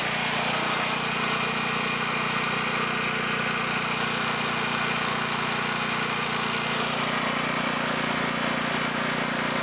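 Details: Low-hours 11hp Generac generator engine, generator head burnt out, after freeing stuck carburetor idle control: even, steady buzzing run at constant pitch with no knocks or surging; running smoothly.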